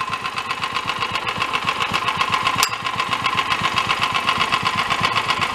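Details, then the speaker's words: Dune buggy engine, no air cleaner, sounding slightly lean after idle and mixture screw adjustments: sharp metallic clank about four times a second with firing; bottom end suspected knocking, oil had been low and was topped off. "sounds like the bottom end is a little clanky to me though and I did top it off with oil it was low had oil in it but it was somewhat low"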